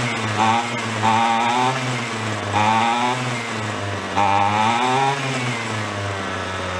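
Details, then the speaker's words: Two-stroke weed whacker picked up free from a roadside junk pile, with gas in the tank. High buzzy rev hunts up and down instead of holding steady. Running lean: air is being sucked around the side of the carb, seen bubbling there. Owner suspects a loose screw or possibly a crack. "i think it's a little on the lean side i think we're sucking air"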